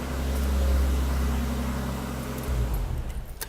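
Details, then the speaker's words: Deep, steady, smooth idle rumble with even, fairly subdued exhaust note; cat delete, resonator delete, pure straight pipe, so a little louder than stock; normal idle. "but I have the cat I have a cat delete and the resonator delete and it's just pure straight pipe and that's why it's a little bit louder"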